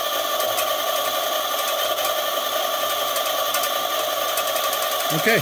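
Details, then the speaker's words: Unloaded eZip E-450 electric scooter hub motor running with the throttle clamped open and the wheel spinning freely to run the batteries down; steady even hum with a constant whine, no knocks or grinding, normal motor running. "so you can hear the wheel going i have a clamp up there i see the clamp is right there just holding the throttle"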